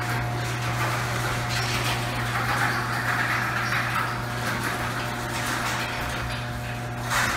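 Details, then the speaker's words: Garage door closing on the old worn rollers, before swapping to nylon: steady opener motor hum under a loud continuous rattle and grind as the door travels; worn rollers making the noise, extremely loud. "so even closing it it's extremely loud but now with the nylon rollers you should be a lot quieter"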